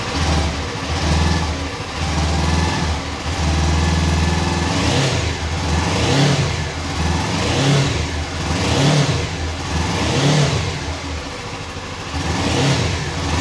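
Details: Suzuki V-Strom 250 motorcycle with 136 miles at an even, steady idle with gentle periodic swells and no knocks or rattles; healthy idle.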